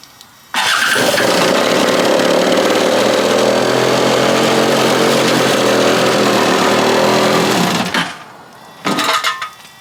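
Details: Free stand-up jet ski two-stroke on a stand after carburetor refit, fresh fuel, low/high mix screws at 1 3/8 and 1 3/4: fires and revs about seven seconds with uneven ragged blat, then cuts out; poor running, cause unknown.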